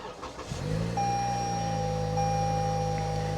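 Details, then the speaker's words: Toyota with 40,000 miles at an auction yard. The engine catches within half a second and settles into a smooth, steady idle with no knocks or misses: normal start and idle. "and fire right runs perfect it's a Toyota it really what did you expect you didn't think it was gonna you know be a dud right"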